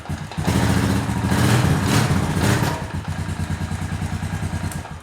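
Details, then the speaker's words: Honda TRX350TE Rancher ATV single-cylinder, first run after fixing a no-spark caused by a blown fuse from the carb heater, no fuel tank attached: even putter to steady idle, no misses, knocks or smoke; sounds healthy. "this thing has been ran hard and very little care taken throughout its entire life and it still sounds good and doesn't smoke a bit that's pretty impressive to me"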